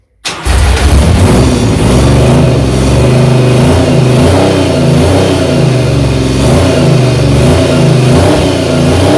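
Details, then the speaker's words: 1975 Triumph Trident T160 triple on first electric start after full rebuild, with exhaust fitted loosely, catches and revs hard with a raw, loud open bark and rasp as the exhaust comes off at the header and blows. "yeah well i did say i'd loosely fit the exhaust i think maybe a bit too loosely but the engine the engine has started"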